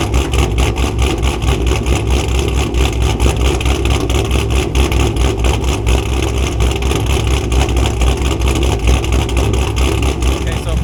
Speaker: When I bring the camera out, everything seems like it's fine. It's not misfiring, it's not knocking.